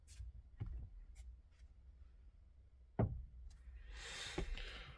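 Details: 2018 Hyundai Creta FWD, 105,000 km, G4FG 1.6L: separate dull clunks as the steering wheel turns, engine running or off, felt near the electric power steering unit. Tie-rod ends checked with no play; cause unclear.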